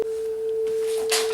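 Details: Sony TC-131SD cassette deck, about 42 years old, playing a test-tone tape before head adjustment: steady test tone, head azimuth screw disturbed (paint seal broken), to be adjusted for best treble.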